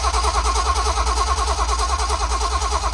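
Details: 1972 Datsun 240Z with L24 engine, abandoned and being revived, fuel line and clamps at the rear carb just replaced and coil reconnected: steady rhythmic starter whir at about three pulses a second with no firing; cranks but won't start.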